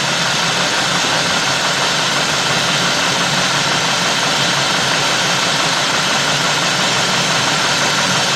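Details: 2003 Cadillac DeVille 4.6 with rough, surging idle and codes P0300, P0171, P0174, P0101, P0404: loud hissy, uneven lumpy idle, worse than before; big intake vacuum leak.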